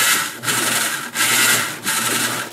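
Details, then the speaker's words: Whirlpool-built top-load belt-drive washer, noisy while agitating or spinning: a harsh, raspy grinding that rises and fades about every 0.7 seconds as the drum works. Described as a very common and usually easy repair. "if you are having a noise problem while the washer is either agitating or spinning you may want to check out the other video in the series before you put yourself through the misery of listening to that horrible noise one more time"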